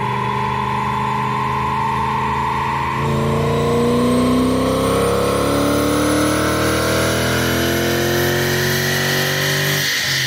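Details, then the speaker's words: BMW E31 840ci with M62 V8 after a manual swap and new 2.5-inch X-pipe exhaust, third dyno run (267 hp, 298 torque, same as before). Smooth note climbing steadily under full load, even and clean; healthy V8 dyno pull. "Now we're about to do a third run. See what it sounds like. Man, that sounds good. Sounds really good."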